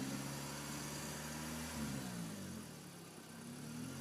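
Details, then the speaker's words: 2000 Mitsubishi Lancer 1.8 4G93 GDI, 150,000+ km, about three minutes after adding Suprotec oil additive for hydraulic lifter knock: even, steady idle with top-end ticking much quieter than before but not fully gone. "вроде звук немного потише но пока полностью не ушёл хотя ну намного тише уже смотри Ну нет такого звука как был вообще"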